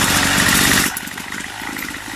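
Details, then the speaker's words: Craftsman two-stroke weed eater: revs hard, then drops to a thin, hunting idle and cuts off, hard to start. Idle adjustment suspected as the cause, not confirmed. "Now it's acting like it don't want to start. Okay, it is cutting off. So it's probably, I need to adjust that idle."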